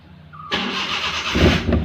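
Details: Maruti Suzuki Omni, brought in for cranking but not starting: brief crank, then it fires cleanly at once and picks up into a couple of quick throttle blips; after repair it starts and runs normally.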